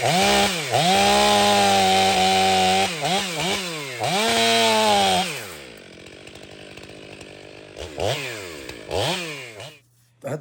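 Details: Ported Stihl MS500i chainsaw during repeated cuts: clean rev-ups with crisp pitch rises and falls and steady high revs; running properly, an earlier behaviour the owner disliked now seems to work as intended.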